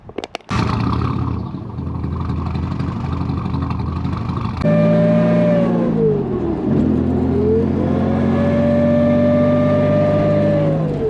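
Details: 1986 Nissan 300ZX with a 35-year-old Garrett T3 turbo that has failed (not locked up) while driving: loud siren-like whistle rising and falling with revs over the engine; replacement turbo ordered.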